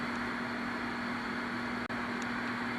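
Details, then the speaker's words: General Stonewall Jackson radio transmitter after repair: steady mid-pitched hum with one brief dropout, no thumping; fault was a power-supply capacitor on the amp board, not audio-section caps. "you can clearly hear there's no thumping. That problem's been remedied, not by those caps in the audio section, unfortunately."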